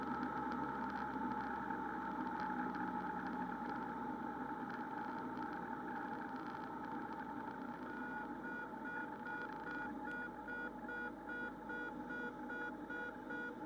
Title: Stalling a Cessna 172rg #172rg #cessna #aviation